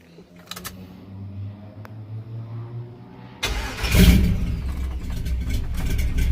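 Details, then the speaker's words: Chevy K5 Blazer, fresh from the shop with new transmission and loud exhaust: cranks, catches at once, settles into a steady deep even idle; healthy start. "Right up. She started right up."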